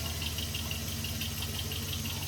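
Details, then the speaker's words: 2001 Jeep Grand Cherokee WJ 4.7L PowerTech V8 at cold idle: low dull knock thumping steadily under the engine note, only when cold and gone within the first two minutes; rod knock suspected, unconfirmed. "Got some low end knock, but it only happens when it's cold. Within the first 2 minutes of it running, it goes away."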